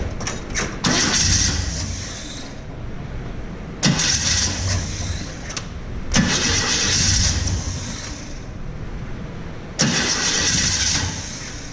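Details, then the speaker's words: 1950 Chevy cranking without starting: four two-to-three-second starter bursts, no catch; fuel not yet primed up to the filter, cracked fuel lines spraying when pumped; points possibly open. "getting their prime up not up to the filter yet"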